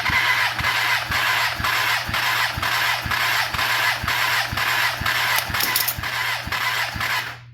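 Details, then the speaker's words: Kawasaki ZX10R basket-case build during a compression test on cylinder 1 with throttle held wide open; starter drags the engine slowly, about two labored compression beats a second, reading 180 psi; slow cranking from a low battery. "Alright, it's turning over slow, which means our battery's low."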